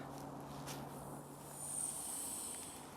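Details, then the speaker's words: Maple sugaring vacuum main line: ear at ball valve shut for several seconds hears faint thin hiss, meaning a leak on that line; a critter tooth hole found. "that means there's a leak on that line if you don't hear anything there isn't a leak on that line"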